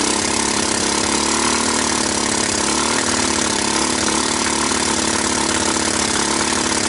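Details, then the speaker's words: Kawasaki Bayou 300 single after oil was added to the cylinder (compression 60 to 120 psi) and a shot of pure ether: it starts and runs fast and harsh while being gunned, with a thin, uneven beat and top-end clatter. The engine is likely worn, with low compression. "so wow i never ever thought it would start how's pulling that how's that for pulling one out of your butt anyway um so it starts it runs it moves the valves seem to be sealing enough i think it's just worn out i think it just has no compression"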